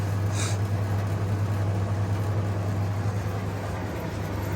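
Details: 1952 Parnell tumble dryer, bought for spares, bearings bolted onto shaft, running on timer with heater off: steady low hum and even drum rumble, no knocks or scrapes; running normally.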